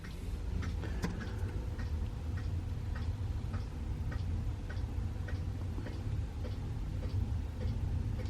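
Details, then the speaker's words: Eberspacher D4 Airtronic M diesel heater with Easy Start Select controller, first switch-on after install, set to 22°C from 16°C: fuel dosing pump ticks evenly about every half second over a low fan rumble; normal startup. "Oh no, there we go. She's away. Okay, so the fuel pump's running."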